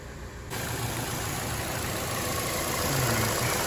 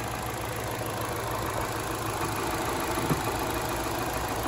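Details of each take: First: Chevy Cruze 1.8L non-turbo at idle: steady airy hiss over low idle rumble from a major vacuum leak, a ruptured PCV diaphragm in the valve cover; fuel trims running very lean (short term 22–30%), fix is valve cover replacement. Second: 2012 Chevy Cruze 1.8L non-turbo idling after a new valve cover replaced the ruptured PCV diaphragm: steady, even idle with only a faint light ticking, no knock or stumble; fuel trims good, normal idle.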